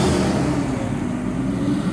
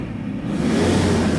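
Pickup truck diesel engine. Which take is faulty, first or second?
first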